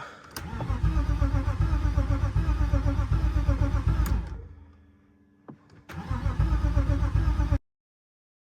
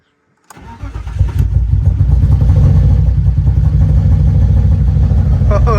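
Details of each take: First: Cheap BMW E36 after bypassing the EWS: starter cranks in a steady chug about four beats a second, pauses, cranks again, never fires; owner suspects one fuel pump isn't sending fuel because only the other is heard kicking on; unconfirmed. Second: 1998 BMW E36 two-door automatic, inline-6, first start after the EWS bypass and ECU flash. Brief crank, then it catches at once and settles into a steady, even idle with no misses. Normal start.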